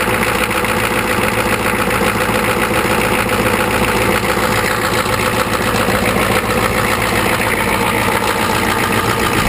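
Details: 1985 Ford 6.9L IH diesel after about 5 months sitting, glow plugs disabled, probably low compression, just after a hard start: heavy, uneven lumpy clatter at cold idle; rough cold idle, cause suspected not confirmed.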